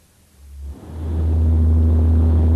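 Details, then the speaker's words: Vehicle booming noise at speed, deep steady drone measured at 60 Hz by frequency analyzer, matching propeller shaft vibration from imbalance or runout; propeller shaft suspected, not confirmed. "according to the analyzer the frequency of the noise is 60 Hertz this frequency corresponds to the frequency at which the propeller shaft will probably vibrate if it is unbalanced or run out this indicates that you should suspect a propeller shaft more than anything else"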